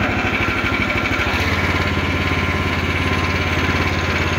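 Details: Vintage DR Field and Brush Mower repowered with a new Harbor Freight engine, on its first run at low ("turtle") throttle with the choke off after starting. It makes an even, rapid single-cylinder putter that settles into a steady beat; running smoothly.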